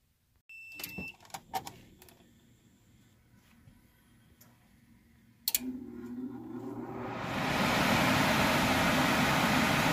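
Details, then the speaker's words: AC with a low-voltage thermostat fault, after replacing the blown fuse (26.8 V measured): clicks and a thump, then the blower spins up into a steady air rush, refrigerant bubbling heard, condensing unit running; system operating normally. "here the system is running the blower motor kicked on I do hear the refrigerant bubbling over and I did inspect my condensing unit it is running right now"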